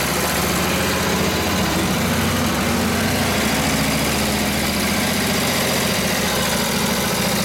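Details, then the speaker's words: Freshly assembled Harley 45ci WL flathead V-twin bobber, ignition points just set, opens to near full throttle against the drum brake; a loud, steady roar stays even and strong without stumbling and pulls the load cleanly. "yeah that was about almost full throttle there the brake on yep had the brake buried in still Full Throttle till it it loaded up took the load so yeah a good sign"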